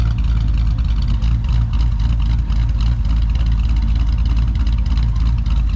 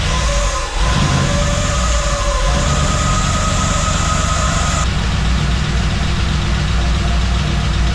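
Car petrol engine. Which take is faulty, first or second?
second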